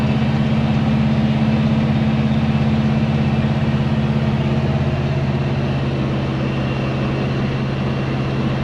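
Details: 1970 Chevy C10 pickup, 327 small-block V8 with HEI distributor, after refitting the distributor, which had been in wrong: smooth, even idle with a steady low beat and no misses, pops or knocks; runs healthy now.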